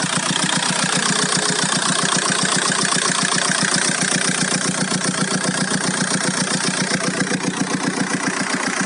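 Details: Golf 4 1.9 TDI 115 4Motion diesel at idle: steady clatter with a sharp, even tick about two and a half times a second over it; owner hears a strange engine noise, source unclear.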